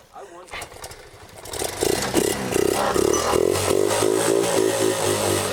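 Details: Japanese-import motorcycle with non-stock carburetor, stored, cranking: starter cranks steadily at about four beats a second but engine never fires because the ignition key was left off.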